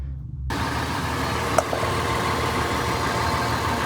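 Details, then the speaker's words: After a DIY exhaust flange repair with homemade clamps and studs made from straightened U-bolts, the engine idles steadily and evenly with a low rumble, no puffing or ticking at the joint; exhaust no longer leaking. "There we go, not leaking. It's repaired for now."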